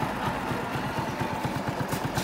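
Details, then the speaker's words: 2008 Honda RSX motorbike, all-original engine: steady idle putt of about five to six pulses a second, even and clean, no cam ticking or chain rattle; engine healthy. "cho bà con nghe tiếng máy ha Nó bịch bơ xong rồi đó nha không kêu cam không Kêu Cò không xòe bến xe lồng không xòe"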